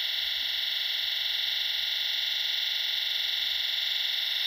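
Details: 2017 MacBook Pro Touch Bar, left fan: a high steady whir with a rhythmic rasp about three times a second. The fan sat too low and hit its casing; pressing it back stopped the noise.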